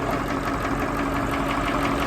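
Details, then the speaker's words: Massey Ferguson 1800 diesel tractor, engine seized eight months ago and since revived, idling hot to cool down after chisel plowing: even, steady idle with regular firing pulses, no knocks or misses; healthy and smooth. "listen to that baby just her ain't that beautiful yeah who knew that 8 months ago that was a Seas up engine this was going to the scrapyard and now look at her just singing along like a beauty"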